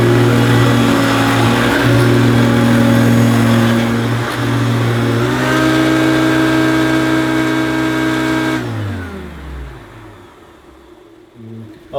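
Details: Oldish Hoover U2716 Turbopower Boost bagged upright vacuum, original motor: loud steady whine holding one pitch, then switched off and winding down smoothly; motor sounds sweet and relatively quiet, healthy normal running.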